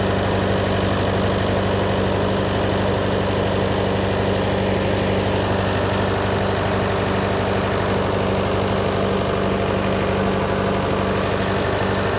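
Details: John Deere 401C diesel at steady idle in neutral, with a cracked block and suspected liner O-ring leaks. Lumpy, uneven beat. By touch, cylinders 1–3 are hot but 4 is stone cold: a dead cylinder misfire.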